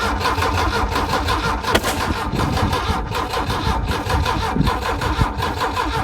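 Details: Volvo AQ131C: steady rhythmic cranking that never catches, with one sharp pop partway through; it cranks, won't start and backfires.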